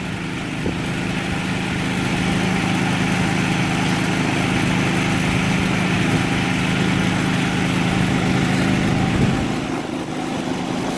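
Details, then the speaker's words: Predator 3500 generator with 131 hours, after an idle jet cleaning and idle adjustment for surging. It powers an air conditioner plus an evaporative cooler on high fan and pump. A steady, even drone holds speed under load with no surging or hunting. "then we'll go to high fan and pump so definitely load there"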